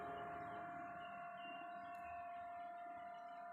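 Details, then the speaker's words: Ice factory machinery switched on at 16:30 and now running over 18 hours a day: a faint but constant high-pitched drone at one fixed pitch, annoying to neighbours, source otherwise unknown. "หนวกหูแบบน่ารำคาญมากเลยอ่ะเสียงมันดังเดินขึ้นยิ่งดัง"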